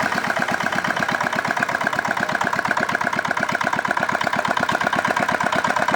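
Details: Old modified Chinese R180 single-cylinder diesel for wood splitting, rebuilt after repeated seizing despite earlier crankshaft replacement: steady thumping about 170 a minute, even, no knocks; runs healthy.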